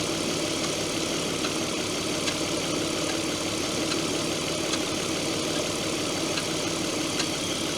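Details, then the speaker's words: Opel Omega B V6 at idle on first start after replacing the valve cover gaskets, valve covers, coolant valve, ignition coil, plugs and leads: faint irregular clacks about every second, apparently not heard before. The owner doubts the valve cover gasket and suspects the manifold gaskets. "Manchmal so ein Klacken zu hören, wo ich jetzt unsicher bin, was das bedeutet."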